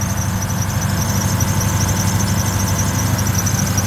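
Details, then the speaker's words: Neglected 2002 Lexus SC430, misfiring with codes: idle pulses unevenly and engine shakes under a constant high squeal, possibly from a slipping accessory belt; misfire. "so the hood has been released there goes yeah you can see that shake that is not heavy shaking"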